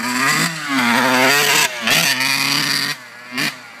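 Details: 1991 RM80 two-stroke revs in short bursts, buzzing pitch wavering and sagging instead of climbing cleanly: horrible bogging under throttle despite a new carb and cleaned air box; cause unknown.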